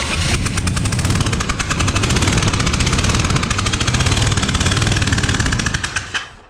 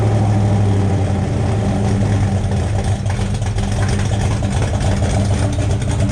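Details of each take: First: Freshly built 427 on first start-up, distributor corrected 180 out: loud, sharp puffing chuff every cycle over rough idle, like a driver-side header leak; a spark plug was left out. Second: 427 V8 after finding a loose cylinder 8 exhaust rocker, with exhaust O2 sensor hole still open: deep, lumpy, even idle with steady low rumble, no knocks or ticks; healthy running.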